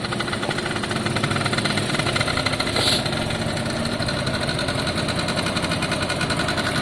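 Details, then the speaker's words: Small two-stroke motorbike, first kick start on a cold engine with a low battery: fast, crisp two-stroke burble ticking over evenly with steady pitch and no misses; healthy idle while warming up. "the two stroke starts on the kick every time it's not it's not always very happy with the electric starter but the battery is quite low you watch first kick pow there it is"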